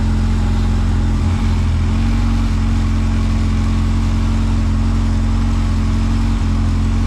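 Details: Honda CRX with freshly rebuilt zero-mile B20Z swap, first start, new NGK iridium plugs, no cooling system fitted: smooth, even idle just under 1000 rpm, steady low drone, no ticks or misses; healthy running.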